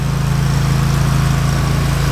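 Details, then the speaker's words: Lawnmower that sat all winter with battery sitting out, starts right up on the key: small engine idling with an even, steady low drone, no misses or knocks; normal idle. "Now that thing started up. It's a bad boy lawnmower. Been sitting all frickin' winter. Battery's sitting out all winter. And hit the key and it starts right up."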